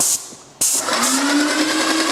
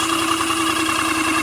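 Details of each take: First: Airless Max Blast paint sprayer priming with unthinned paint before reaching the gun: pump drones steadily, sags then slowly climbs back; labouring near stall on thick paint. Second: Airless paint sprayer coming back to life after sounding bad and smelling of burning: steady, even motor hum at constant pitch with no stumbling or surging; pump running smoothly again, though it keeps blocking even with thinned paint.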